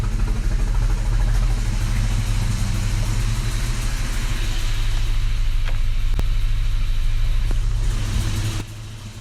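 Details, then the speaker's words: Isuzu Rodeo 4ZE1 before its top-end rebuild, first start after months unused with battery recharged, in neutral: lumpy, uneven idle with sharp pops near the end as it backfires. Backfire from burnt valves. "it's in neutral yep positive she backfired man"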